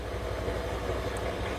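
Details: Honda Scoopy scooter during fuel pump check, pump pressure holding about 43-45 with engine running: low even putter at steady idle, no misses or hunting; fuel pump performance good, engine idling normally.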